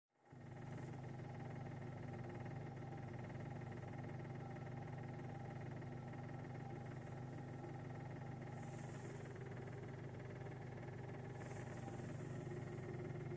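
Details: 2006 VW Golf V GTI at idle with a loose, uneven knock about three per second from the bottom right of the engine, found to be the fuel line hitting the chassis from engine unbalance; securing the tubing may fix it.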